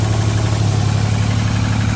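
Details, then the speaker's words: 1989 Grand Prix Turbo McLaren turbo V6 after a tune-up with the manifold removed and refitted: a steady, even low rumble at idle with no knocks, misses or whistles, running decently. "running pretty decent actually"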